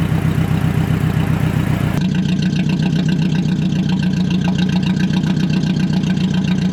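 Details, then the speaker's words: Mercedes-Benz started after cleaning corroded connector terminals, no exhaust fitted: catches and settles into a loud, raspy open idle with sharp firing pulses; loud idle without exhaust. "so see what it sounds like yeah it's loud no exhaust"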